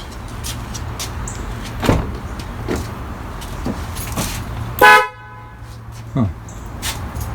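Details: 2002 Toyota Camry with the engine running, horn tested during an A/C relay fix: two short toots with a clear, steady tone; the horn works normally.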